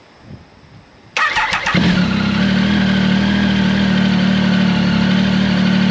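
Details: Triumph Tiger 1050 Sport with new Lextek RP1 full exhaust (baffle in) replacing cracked downpipe: cranks, catches within half a second, steady even idle with no misses; normal start and idle.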